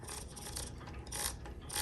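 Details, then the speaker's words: 1962 Olympia SM5 typewriter platen line-space ratchet: quick dry clicks as roller turns when engaged, silent when released for fine adjustment; normal behaviour. "I don't know if you can hear it clicking. And then when it's free, it doesn't click."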